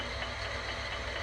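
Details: Selig Sonnenthal lathe after swapping its old 1 hp motor for a 1/2 hp motor, clamped down with G-clamps for first start: steady, even hum with a light whirr, no grinding or knocking; normal running.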